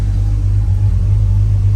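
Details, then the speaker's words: Vehicle after drying out a water-affected TPS now reading 0–100 responsively: deep steady low rumble with even beat, no ticks, knocks or surging; quiet, healthy idle. "We're Oh my god. It's [ __ ] quiet. It's It's quiet, man."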